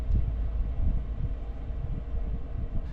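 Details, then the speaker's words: Vevor diesel heater relocated in a work truck, switched to smart/auto mode at 36 °C setpoint, self-set to level 2 (cab 34 °C, heat exchanger 212): low, steady rumble with soft even pulsing, no knocks or rattles; normal low-power running. "not sure if you guys can tell the difference in noise of the heater, but it is now in auto mode and has set itself to level 2. And well, this is how noisy it is when it's at level 2."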